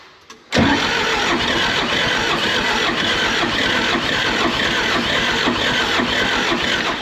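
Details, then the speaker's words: John Deere 450G dozer with a 4045 diesel and 300 hours: a long, steady cranking drone that never fires despite starting fluid; cranks but won't start, cause unconfirmed. "I've shot so much stuff in there it should have started by now it just needs more throttle"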